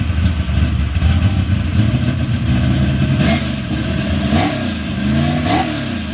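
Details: Car with newly built engine, new fuel system and relocated fuel pump, on racing gas: deep lumpy idle with three clean throttle blips rising and falling smoothly, no knocks or misses; healthy engine.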